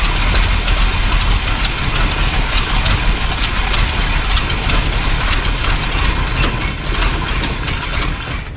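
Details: Off-road recovery tow truck V8 just restarted after wiring rework, several fixes and a replacement carburetor: loud, uneven, loose irregular idle beat; runs but rough, carburetor still needs tuning, though better than before.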